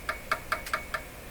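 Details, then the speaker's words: Hallicrafters S-40A shortwave receiver during Band 4 RF alignment: sharp evenly spaced clicks about every fifth of a second through the speaker as the trimmer capacitor is adjusted; microphonic trimmer capacitor. "coming out of the speaker. All these capacitors can be microphonic."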